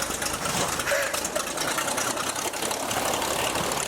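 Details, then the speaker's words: 1949 A35 V-tail Bonanza engine, first start after about 7 years, possibly flooded, started at full throttle then pulled to idle: rapid even firing under heavy propeller wash settling to steady idle without misses, oil pressure coming up; runs cleanly. "Go to idle. Idle. Keep pumping. Got to get out. Oh, she sounds good."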